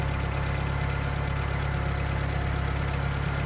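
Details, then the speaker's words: Nissan Figaro started after about 6 years in storage, battery and a bit of easy start; an even, steady low idle hum with a smooth regular beat, no knocks or misses, "sweet as a nut". "So 6 years, battery, bit of easy start. What can you say about Nissan reliability?"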